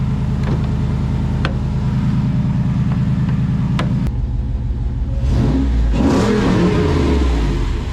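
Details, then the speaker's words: Jeep JK Wrangler Hemi revving after a starter replacement fixed a no-start: deep, even V8 rumble swells smoothly with throttle and settles back without misses, so the engine sounds healthy. "Oh, yeah. She is back in business, boys."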